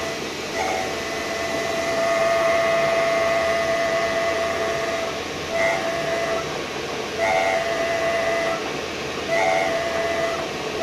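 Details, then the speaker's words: VW Touareg prop shaft half with a nearly new center bearing, spun up in a lathe and twisted: a thin whistling squeal comes and goes every second or two over a steady spinning hiss, suspected to be the center bearing. "and then we try to spin it up in speed and try to twist it a little bit and see what happens. And as you can hear, the sound is coming. So I think I have found my problem."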